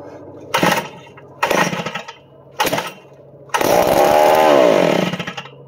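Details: Roughly 60-year-old new-old-stock Power Bee 82002 high-speed kart engine on a fresh fuel fill; three sharp bursts of firing, then it catches and revs up and down for a second or so; a healthy start.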